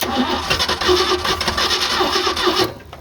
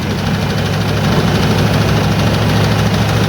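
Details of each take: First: 1986 Ford F250 first start after revival: engine cranks, catches and runs rough for a couple of seconds, then dies abruptly; stalls right after starting while cold, cause unknown. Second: 1986 Ford F250 starting after a new starter and with the carburetor bowls primed, in neutral: cranks and catches, then settles into a steady, even low rumble with no knocks or misses; healthy idle.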